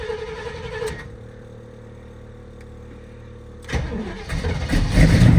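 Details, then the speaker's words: Old Chevy square-body barn-find truck with headers, sat for years, new battery and fresh fuel: slow even cranking then fires into rough rising idle; starts fine, slight exhaust leak suspected. "Oh, yeah. She fired. I knew it. Can't kill these old Chevys."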